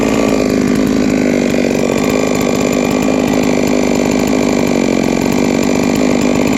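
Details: Three-year-old Huztl-based MS660/066 mill chainsaw, ported 56mm cylinder, after in-field clutch replacement: steady even high-pitched buzz holding speed without stumbling or surging; running cleanly and healthy.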